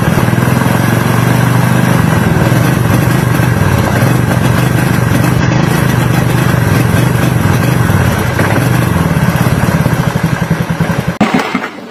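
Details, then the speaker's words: Carbureted Honda Beat scooter: engine runs rough and uneven, stumbling, misfiring and cutting out when the regulator/rectifier (kiprok) is connected; with the kiprok socket unplugged it runs normally, wiring connections being checked. "Nah jadi begitu teman-teman penyakitnya ya ketika kiprok dipasang motor brebet gak bisa jalan sama sekali tapi ketika soket kiprok dilepasin motor itu lancar-lancar saja tidak ada penyakit apapun"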